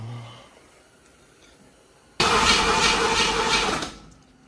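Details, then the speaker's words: Small-block "Pontiac" 327 V8 with its ignition timing not set: silence, then a loud rough burst that catches for under two seconds and dies. Hard starting; after much timing adjustment it fired and ran for 30 seconds. "did Bill do a good job Bill didn't do a good job the time is not set oh excuses"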